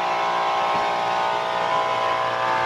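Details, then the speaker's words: Sinleader DP-24 dual-pump box sprayer on internal battery, bypassed to full 12 V: loud steady high buzz with even hum, no surging or rattling; pump running normally with strong spray. "Nah itu langsung 12 volt suaranya tuh kelihatan benter basic banget gitu loh"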